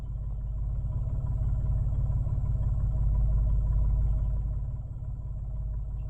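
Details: 2021 Mitsubishi Mirage at idle: low, steady idle pulsing about three times a second with a slight uneven lope and swell; possible rough idle, cause unclear.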